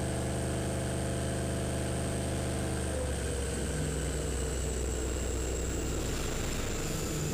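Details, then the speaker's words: LS turbo-swapped Ford Ranger with a 10 lb wastegate spring on a dyno, early gear pull: steady hard-pulling drone, then the note breaks up and stutters; engine cutting out under load, owner says fueling not right, cause unconfirmed. "you can hear it cutting out the fueling is not right something's not right"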